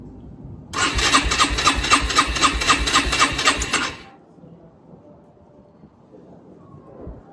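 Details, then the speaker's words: Rieju RS2 Matrix Pro 125cc four-stroke, stored over 10 years, new fuel lines and valve, on backup battery with choke: even cranking, about four turns a second, for roughly three seconds with no firing. Cranks but won't start. "Alright guys, so that's where she sits, and it's really been disappointing. We've not been able to get my Rieju 125 started."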